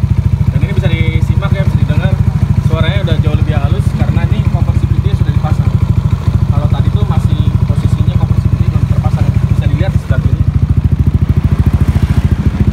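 Steady, even single-cylinder idle around two hundred beats a minute, smooth and regular with no tapping on top; engine sounds healthy.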